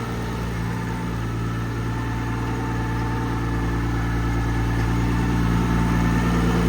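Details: Nissan R34 drift car, freshly rebuilt engine idling on base map after first start: faint constant singing tone over low engine hum; sounds like a gearbox input shaft bearing.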